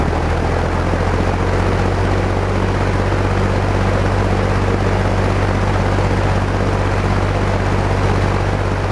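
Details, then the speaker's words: Markel box fan restored with new egg-crate front grille, heard from the back starting from off to high: deep, smooth whoosh with low steady hum settling at full speed, no rattles or scraping; healthy motor. "let you hear the startup sound from the back because i do think and spatsbear agrees this is one of the coolest startup sounds ever here we go okay here is the startup sound from off to high"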